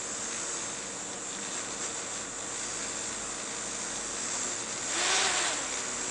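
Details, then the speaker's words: fischertechnik motor under Python speed control from a BeagleBoard Classic: a thin motor whir holds steady, then around five seconds the pitch suddenly jumps up. Speed surging, not converging to the setpoint; shaking possibly from springs. "but then why doesn't it keep the speed it should it should converge faster"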